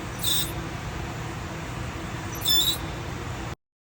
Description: If your brakes are making a loud squealing noise like this, there’s a good chance your brake pad wear sensor is touching the rotor.